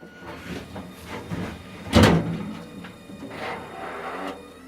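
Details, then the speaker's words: Fisher & Paykel dryer after a right-side drum bearing replacement that fixed the squealing: a solid thunk as the drum closes, then soft, even whirring with no squeal or grinding, running smoother than when new. "hear the drum closing there you go nice and quiet running smoother than it has since it was brand new"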